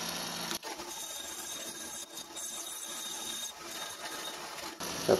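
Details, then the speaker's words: Mini lathe cutting a 5 kg cast iron gym weight for a homemade rotary table: rough, uneven, fairly quiet grinding rasp with no steady beat, from a disc brake left stuck on the back. "horrible noise you can hear is I haven't taken the the disc brake off the back yet and I can't get it out it's stuck in there"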